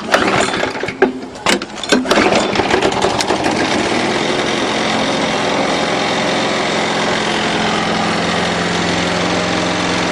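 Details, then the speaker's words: 6 hp Briggs & Stratton flathead on a Murray mower after a valve job: after a few pulls it catches and settles to a steady, even drone, no chit-chit exhaust chuff, good compression; bent shaft rattles the deck slightly. "notice it didn't make the chit chit chit sound anymore because now it's got good compression"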